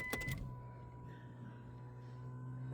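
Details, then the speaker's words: 1998 Nissan Skyline R34 25GT, stock RB25DE NEO just converted to turbo with GTT manual Nistune ECU: steady low electric hum with faint whine for about 2.5 seconds then stops cleanly, a healthy fuel pump prime before the first start. "Just let it prime first, the fuel. Yeah, fuel pump prime first. Time. I can hear it."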